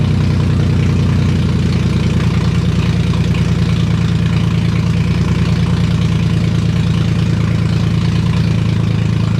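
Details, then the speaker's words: Freshly rebuilt VQ35DE swapped into a 240sx S13, after the vacuum leaks were capped: loud, rapid, even exhaust pulses at idle through open headers with no stumbling or hunting. Vacuum leaks confirmed as the cause. "oh my god it works it was vacuum leaks that's all it was oh my god it works bro it's so loud i mean that's what you get when you have open headers"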